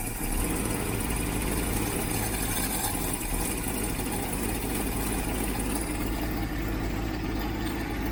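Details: Freshly rebuilt 1967 Mustang 390 V8, stone cold on choke: a steady, deep, even rumble with no misses or knocks. Normal cold idle, though an exhaust leak at the heat riser, which has no gasket, is noted.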